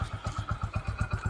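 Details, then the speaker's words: Hero Honda CD Deluxe single-cylinder after full engine rebuild (timing chain kit), just started: crisp regular thumping about seven or eight beats a second, no clatter; normal idle. "अब इसके sound को सुनते हैं किस तरह से आता है क्योंकि पहले जब हमने इस साउंड सुना था तब इसकी आवाज क्या थी और अब क्या है य हमारी बाइक स्टार्ट"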